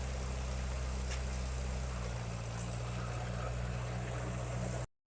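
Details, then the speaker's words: 1956 Ferguson TO35 tractor after draining water from the fuel tank, sediment bowl and float bowl: steady low idle with even beat and no misses; had stumbled before. "And seems to be doing pretty good there."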